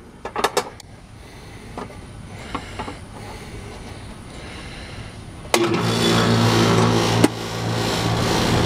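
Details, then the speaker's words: Old American Standard Allegiance 12 condenser after replacing a bulged 55+5 µF capacitor that read zero; it previously hummed without starting. It now starts into a steady low hum with even fan rush, running normally. "all right guys the [Music] American Standard Allegiance 12 is in good shape and good to go"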